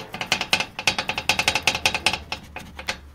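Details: 2012 Toyota Prado 150, knock over small bumps: rapid bursts of sharp light metallic clacks when shaken by hand; riveted front fog light mounting bracket where bumper attaches has come loose.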